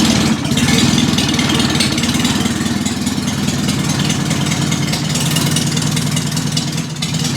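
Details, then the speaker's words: 1955 Morris Minor with engine and gearbox just installed and ignition retimed: loud, rough open rumble at fast idle with raw exhaust blare, because no exhaust downpipe is fitted yet. "Oh, there's no exhaust on yet either, we kind of can't find the downpipe."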